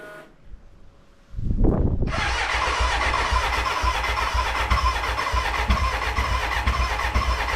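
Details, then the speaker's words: BMW K100 cafe racer build, first start attempt: starter churns, engine catches and runs rough and uneven with a lumpy beat; hard starting, owner thinks the battery is flat and plans to recharge, later suspects the fuel mixture. "Okay, it kind of started, but I think the battery's stuffed, so let me recharge it and try it again."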